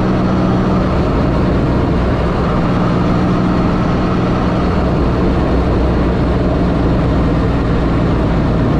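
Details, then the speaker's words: 1984 Pontiac Fiero wide body with a 3800 V6 swap, on a drive with the mic in the cabin, after new header gaskets replaced reused ones and a V-band clamp was added: even, low drone with no puffing or ticking; exhaust leak gone, sealed and quiet. "before you'd be able to be able to hear a whole bunch of exhaust leak in here now it's quiet"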